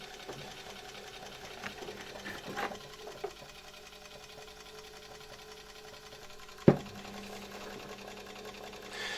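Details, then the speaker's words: Zelmer 268.6 (1989) vacuum cleaner, type 300 motor after bearing replacement, bench test on very low voltage via transformer: soft steady low hum, motor turning very slowly, no scraping or rattle; normal. "The transformer is running. Our motor is now turning very slowly."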